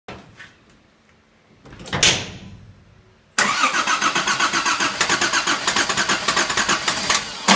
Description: This is the first successful startup of my Volvo 760 (765) GLE Turbo Diesel Wagon from 1987 after fixing the engine (D24TIC).